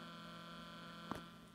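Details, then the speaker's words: New Alphacool Eisbaer 280 AIO CPU cooler pump, no air bubbles, microphone touching the pump: faint steady electrical hum with a higher whine and one brief tap; quiet, healthy pump. "again my microphone closer I can hear a light hum and with the microphone in contact with the moat with the pump you hear it"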